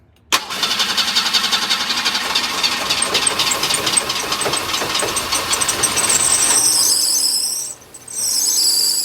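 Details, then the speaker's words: 1990 Ford Escort with weak battery, started on starting fluid spray: catches and revs roughly when throttled, then stalls and tries again, getting no fuel of its own; fuel pump dead suspected. "it's running off the spray give it a little throttle hit the gas pedal rev it up hit it all right it's stalled out yeah so the fuel pump's dead"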